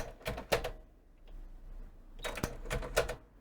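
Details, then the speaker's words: Panasonic RX-DS303 portable stereo CD system, cassette deck: pressing play gives a burst of sharp clicks, a pause, then a clatter as the transport shuts off; cause was a broken cog wheel plus dirty intermittent deck switches. "so yes it's starting and then stopping that's the problem"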